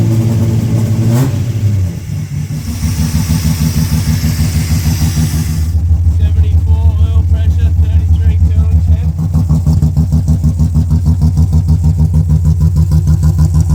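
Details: Rebuilt Ecotec race car engine after a melted piston, first run: fires up, steady lumpy idle about three beats a second, revs cleanly and returns without knocks or rattles; oil pressure above 60 psi idle, 80 revving; healthy.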